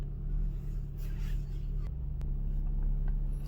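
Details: Maruti Suzuki Ertiga petrol/CNG car idling while it auto-converts from petrol to CNG; low, smooth, even rumble with no misses, ticks or knocks: a normal, healthy idle.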